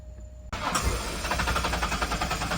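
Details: Ford Explorer 5-speed 4x4 that sat about three years with bad gas: steady starter cranking, engine almost catching a few times but never firing; fuel pump sounds strong but keeps running when primed instead of shutting off.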